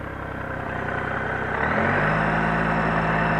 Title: Bruit moteur - Gold 1800